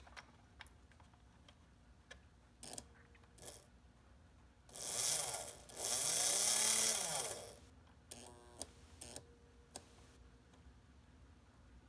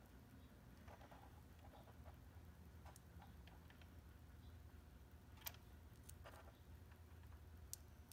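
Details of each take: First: Märklin SK 800 toy car motor (about 1945), restored from stuck, retested after cleaning the gear and oiling to loosen it. Scattered light clicks, a few reversing-unit misclicks (contacts possibly misaligned or dirty), then a smooth whir rising and falling with speed. Normal running. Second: Märklin SK 800 toy car (about 1945), restored motor run under power, running slightly tight. Faint irregular sharp clicks over a low hum, blamed on the linkage, with a loose wheel slipping on its drive gear.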